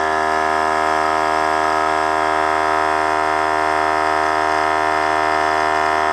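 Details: Harbor Freight air compressor with a worn, damaged pump, filling the tank from empty: steady strong motor drone that sags as pressure builds, stalling and freewheeling; warbles near 90 psi and takes about 5:20 versus under four minutes when new.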